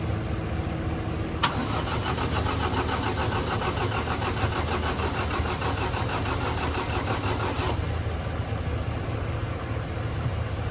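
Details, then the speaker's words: Tractor diesel pulled from a pasture after sitting, cranked on jumper cables with a dead battery; steady churning crank that never catches, with air trapped in the injector lines. Loosening the injectors bled the air, the idle smoothed and it ran; fuel filter still needed. "it started to pop off, so I loosened the injector so they could bleed out, and then they bled out a little air, tightened them up. Idle started to smooth up, and here we are."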